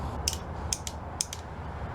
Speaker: we have a clickity clack